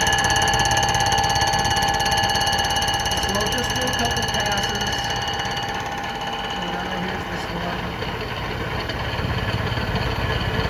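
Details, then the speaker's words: Fly cutter on a light-duty surfacer decking a flood-damaged Honda K series open deck block during a pinned deck conversion: a steady cutter whine with rapid, even hammering about three times a second over the interrupted cut, so passes are kept light to avoid breaking an insert. "this machine I keep on the light duty side obviously and it's fairly aggressive with that [Applause] hammering so I just don't want to break an insert or shoot an insert off or something like"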